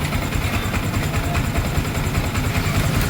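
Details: Yamaha Sniper 155 idling after replacing the water pump seal, impeller bearing and impeller, not yet warmed up: steady low idle pulsing evenly, with no whistle, squeal or grinding from the pump side.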